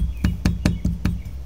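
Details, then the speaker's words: 1973 Corvette Stingray, tap test on the interior astro ventilation vent where a rattle is heard: screws give sharp hollow clacking taps versus duller thuds, locating loose screws to tighten. "these screws definitely have kind of a clacking sound that one and that one hear that and these have more of a thud"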